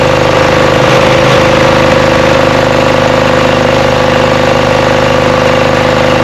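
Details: Craftsman 42-inch riding mower, 24 hp Briggs & Stratton V-twin, after fuel solenoid replacement, running on one cylinder; steady drone with uneven low beat and stumble; misfire, suspected stale-gas buildup clogging a carburetor jet.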